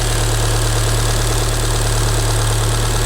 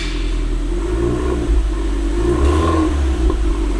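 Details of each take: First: Damaged Fiat Punto Abarth that had not run for over a year: fast, fairly even clacking, about three a second, over a steady idle. Owner suspects plastic pieces fallen inside the engine; not confirmed. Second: Damaged Fiat Punto Abarth long unused, many warning lights on, engine not yet warm: engine picks up cleanly on two blips and settles to a smooth low drone with a slight vacuum-like whoosh, stock exhaust, no knocks or rattles; normal revving.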